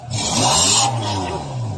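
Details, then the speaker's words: Toyota Fortuner gasoline, after removing clogged catalytic converter that caused low power, rattle and misfire: quick rev with strong free-flowing rush from tailpipe, no choking or rattle; exhaust unrestricted, normal revving. "Okay na. May power na rin. Tsaka, mas ano na siya, mas tahimik na. Then, wala na rin yung kalansing."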